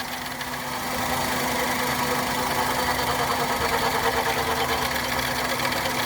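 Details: Maruti petrol engine during misfire diagnostics after fault corrected and part refitted; idles steadily with an even hum, all cylinders firing again, no trouble codes, normal idle.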